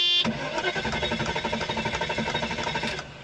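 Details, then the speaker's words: Mercedes E420 that broke down refuses to start: fast, even starter churn for about three seconds with no firing or catch; owner unsure of the cause. "yeah it just does not want to start it could be all kinds of things to be honest with the way it's behaving I don't really know"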